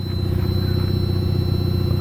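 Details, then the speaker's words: 1984 Mazda RX7 GSL-SE rotary engine with manual transmission idling: low, steady buzzing with a quick even pulse and no clatter or stumbles; running just fine. "car at idle okay she's running just fine of course it's a manual transmission"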